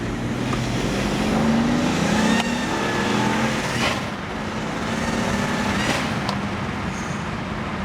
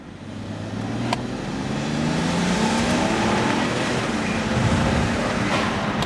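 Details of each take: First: N54-swapped BMW 335i E91 wagon, rebuilt about 1500 miles ago, first drive on new tune, smoking black: hard pull with roar climbing through the revs and a faint rising whistle on top; boost leak, suspected from loose hose clamps. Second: N54-swapped BMW 335i E91 wagon on new tune, traction control off: hard pull with smooth rising drone, no stumble or popping as boost builds; normal turbo acceleration, less rich smoke than before.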